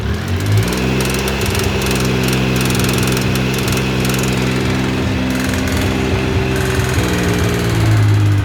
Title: T595 Triumph Daytona Video Motorgeräusch - Ursache?